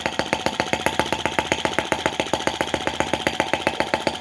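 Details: Lanz-type brass half-tracked model tractor on its first start, possibly low on oil (little smoke): slow, crisp, even firing at about three and a half beats a second with no misses or knocks; normal, sweet slow-revving running.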